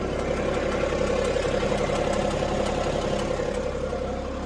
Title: BMW 530d knocking noise?